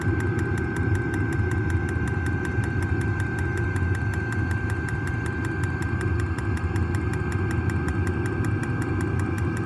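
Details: New diesel heater just installed in a Jayco Freedom caravan, heard from outside near the exhaust after start-up: steady low rumble with even, fast ticking, no surging or misfire; normal running.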